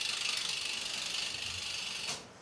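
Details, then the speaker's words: Downhill mountain bike (2012 Giant Glory or 2003 Specialized Big Hit) wheel coasting: crisp, rapid ticking of about twenty clicks a second, slowing slightly as the wheel coasts, then stopping; a healthy freehub click. "Hey, my wheel don't click like that one. >> I know. It sounds good."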